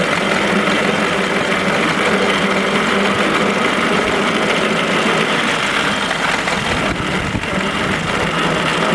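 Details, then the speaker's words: 1926 Morris Cowley rolling chassis on its first drive after a two-year restoration: steady coarse gear hum with a gritty rasp under the running engine, no knocking; noisy rear axle pinion and crownwheel (bevel). "That noise untoward, isn't it? Sounds a bit noisy, but it's just the bevel. Yeah. Pinion and caramel, isn't it?"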